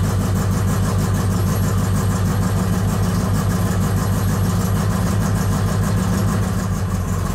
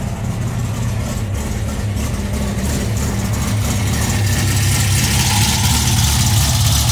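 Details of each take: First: VW Bug carbureted flat-four on Weber 44 IDF carburetors, new CB Performance Black Box ignition just installed, running its initial map: uneven loping idle about three pulses a second; rough running, map needs work. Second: VW Bug with Weber 44 IDF carburetors, new CB Performance Black Box ignition, emulsion tubes and velocity stacks just installed: deep, even burbling idle with steady low rumble, no misses or knocks; sounds strong and healthy.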